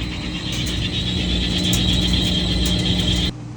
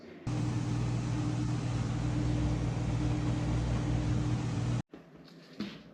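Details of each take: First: Whirlpool Cabrio top-load washer in spin mode, throwing an F2 error code: loud, steady high-pitched squeal over a low drum rumble from a cracked clutch assembly, before clutch replacement. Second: Whirlpool Cabrio top-load washer on a high-speed spin test after replacing the clutch assembly: steady low hum with no squeal or grinding. It previously squealed in spin and was throwing codes.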